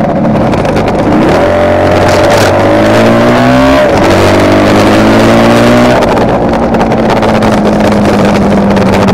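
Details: Kawasaki KR250A two-stroke at idle, recorded while the engine still ran: pitch wanders with an uneven, stumbling beat like one cylinder cutting in and out; tachometer moves oddly, owner suspects a misfire on the cylinder tied to its wiring, appearing over the last three runs.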